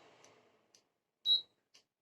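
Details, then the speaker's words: Induction cooktop with an aluminium pan placed on it: one short high-pitched beep in a quiet room with faint ticks; the cooktop does not detect or heat aluminium vessels. "कि यह बात नहीं कर रहा है क्योंकि beep की आवाज आ रही है तो इसलिए कि जो भी नियम के बर्तन है यह काम नहीं करते हैं"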